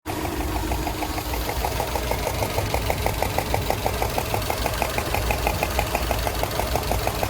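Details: 2007 Subaru Legacy GT with an EJ255 flat-four at warm idle: steady light tapping or knocking about three times a second; cause not pinned down.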